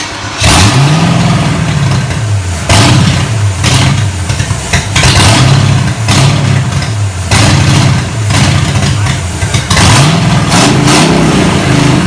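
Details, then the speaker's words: 1987 Monte Carlo SS V8 after 20+ years sitting, open headers, fuel pump working: loud, surging in uneven bursts, won't settle to idle; owner suspects Quadrajet carburetor gummed up from sitting. "okay success it runs uh little noisy a little noisy doesn't idle so i'm sure the old quadrant junk uh carburetor here is totally gummed up from sitting for 20 years"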